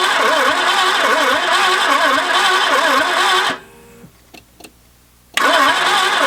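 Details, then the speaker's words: Peugeot 505 GTI donor car, sat 14 years, starter freed by hitting, fuel pump running with fuel pressure; starter churns with even rhythmic wobble, stops, cranks again, never catches: cranks but will not start, owner suspects no spark. "I'm going to go out on a limb and say I don't think there's any spark"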